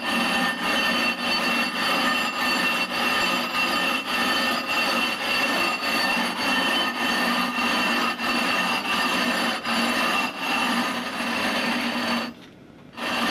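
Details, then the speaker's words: Rough grinding of a 20-inch telescope mirror blank: harsh scratchy strokes just under twice a second from fresh abrasive cutting the glass. "as I proceed you're going to hear the sound softened very quickly so you don't hear that harsh grinding sound it disappears into a soft sort of murmur"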